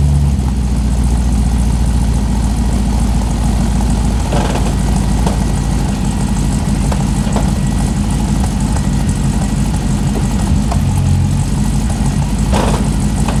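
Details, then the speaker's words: Newly delivered Corvette (hood latch and driver's window need adjusting): a deep, steady rumble with an even beat and no knocks or misses. It sounds real good; normal idle. "She sounds real good."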